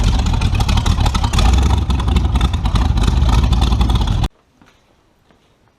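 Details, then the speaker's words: Tunnel-ram 350 V8 with two Edelbrock 600 cfm carburetors (1405/1406), final pull after tuning: loud, deep, even pull for four seconds with no stumble, then cut off. The best pull yet, accelerating cleanly. "well guys uh i think that pull went a little bit better than any of the rest"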